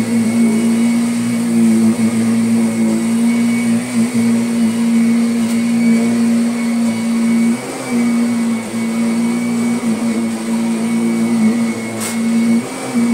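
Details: Kirby Sentria 2 vacuum on carpet after replacing the very slack tech drive belt: steady, high motor hum with only brief dips while moving back and forth, no slipping or chatter at direction changes; the drive works normally.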